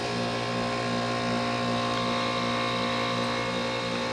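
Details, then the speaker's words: 2001 Trane XE1000 5-ton heat pump at about 45°F, outdoor unit steaming during defrost of its frozen coil; steady compressor hum with constant mid-pitch drone and no rattles, normal defrost cycle. "holy it's defrosting it's actually defrosting I don't know if it's going to steam but it's defrosting"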